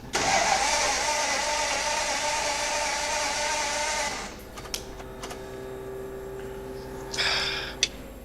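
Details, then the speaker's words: 1935 Ford V8 roadster with its sheet metal removed: the starter cranks steadily and fast for about four seconds but the engine never fires, and the fuel pump is loud; a lack of spark is suspected but not confirmed, with a coil-wire spark test next. "All right. We're cranking it over, nothing's happening."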